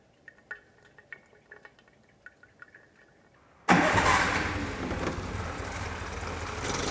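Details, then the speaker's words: Jeep, first start after fitting a new gasket and adding oil: a few quiet clicks, then it catches once the fuel circuit reprimes and runs steadily with no misfire or knock; idle and mixture still need a small adjustment. "eh bien les amis, vous avez vu, ça a démarré plutôt pas trop mal, hein. C'était juste le temps de ramorcer le circuit d'essence."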